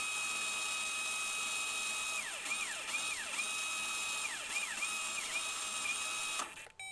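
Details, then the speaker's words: Electronic parking brake caliper motor fed 12 V via power probe with reversed polarity, no scan tool: faint high whir with wavering pitch, then abrupt stop with a click as piston fully retracts; normal. "All right, now we're going to give it 12 volts. And as soon as you hear that motor click, that's it."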